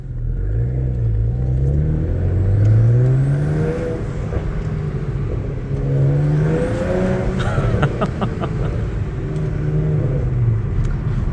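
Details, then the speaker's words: BMW 335i N54 on a first-gear pull after an RB twin turbo install, with the turbo feed line oil leak fixed and the wastegate rattle gone: a rising whoosh and faint whistle over the exhaust drone, with noticeably more spool and whistle; normal turbo operation. "all right first impressions um there's a lot more turbo spooling noises maybe maybe you can hear that let's go for a little uh first gear pull"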